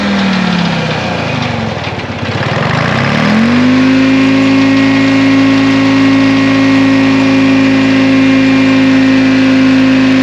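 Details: 1960 John Deere 440 backhoe's supercharged 2-53 Detroit two-stroke diesel, once frozen after years sitting: brief stumble, then a steady even drone with clean constant pitch; good oil pressure, normal healthy running.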